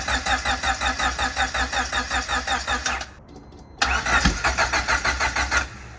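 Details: Turbo Honda Civic (about 400 hp, E85) sitting for months, fuel system primed, gauges acting up: steady starter churning about three beats a second, pauses, cranks again without ever catching; cranks but won't fire, cause unconfirmed.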